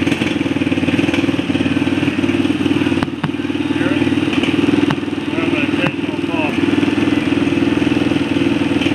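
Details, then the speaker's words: TaoTao ATV audio install with Boss DC power noise filters fitted on the radio supply: steady idle with occasional sharp pops at irregular intervals through the speakers; filters not curing the electrical noise, source not pinned down. "I'm not very impressed. I still hear an occasional pop from the speakers."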